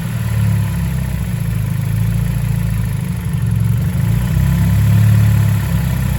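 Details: Mazda Mazdaspeed Axela (BK3P) with 2.3L direct-injection turbo L3-VDT engine after overhaul, running normally: deep even note swelling smoothly with a gentle rev and settling back, no knocks or ticks; sounds healthy.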